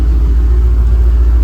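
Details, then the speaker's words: Old project Ford Mustang, unstarted for a while, just jump-started from a dead battery: deep steady low rumble with an even pulse and no misses. Normal idle; owner says to let it run so the alternator recharges the battery. "So, either drive the car for a little bit or let it run for a little bit and let the alternator have a little time to charge that thing up and then she'll be good."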